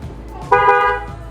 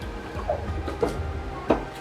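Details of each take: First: Newly installed waterproof Denso trumpet horn on a car, mounted behind the front grille and plug-and-play onto the old relay and harness, heard from inside the car: one clean half-second blast, a strong, steady, clear tone, a healthy horn. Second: Car's old Hella horn before replacement, damaged with one side dead: short, thin single-note honks with only one trumpet sounding, a weak horn.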